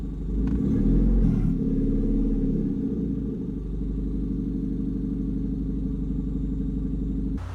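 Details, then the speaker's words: 2006-2011 Honda Civic R18 with turbo at idle: deep rumbling, loud raspy chuffing about four times a second, exhaust fumes smelled in cabin; exhaust leaking at turbo-to-manifold joint. "obviously it sounds like an exhaust leak"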